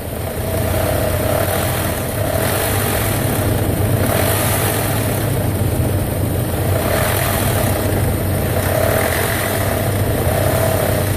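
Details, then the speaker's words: 2001 Nissan Pathfinder petrol engine with a light ticking, barely audible at idle but more noticeable when revved; cause unknown. "So you can barely hear it when it's idling, but whenever you rev it"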